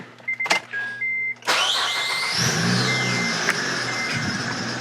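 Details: Acura TL 3.5 V6 at startup during cylinder 5 misfire diagnosis with coil swapped to cylinder 4: chimes, engine fires and a shrill squeal sweeps up and settles over idle from a noisy accessory belt.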